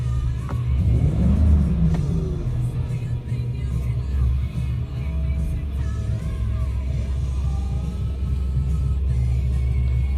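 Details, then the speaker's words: 2008 Ford Expedition after new throttle body install and reset: revved, drops back to steady idle just under 700 rpm without surging, unlike the several-hundred-rpm surge before; music over it. "It's back down to about 700, just a little bit under 700, and it's not surging."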